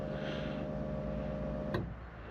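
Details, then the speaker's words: Honda Civic EK3 after reassembly: even low hum with a steady, higher whine that cuts off after a click; an overly loud fuel pump droning and vibrating the car. "elle fait vibrer la bagnolemonétis quo que vu comment ça drone"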